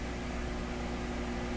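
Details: Unidentified prototype tube AM/FM radio, warmed up; even, steady hiss between FM stations with faint background hum; FM section receiving normally.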